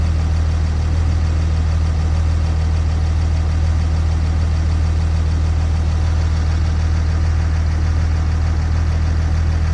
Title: Rough idle 6.7